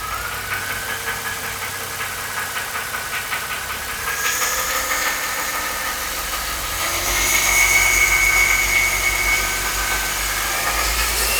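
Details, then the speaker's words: Mercedes M272 (S211), warm idle right after changing to thicker LiquiMoly 5W-50 oil: light, quick valve-train knock about four per second over the engine hum persists, perhaps slightly quieter or lower pitched; thicker oil did not cure it. "As you saw in the last clip, the knock is still audibly there. However, it might be at a lower pitch, it might be a little bit quieter."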